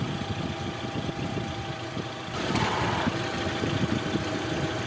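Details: Mitsubishi Fuzion with the AC on, after the whistling noise was fixed and the AC belt was adjusted: steady, even idle with no whistle or squeal from the belt area; the idler bearing sounds quiet.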